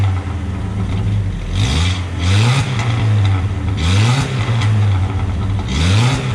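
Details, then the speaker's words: Truck startup after the muffler replacement, cat already removed; owner thinks it may be overheating. Deep, steady rumble with three clean throttle blips and no ticking or puffing; a normal exhaust note. "Sound better? Much better."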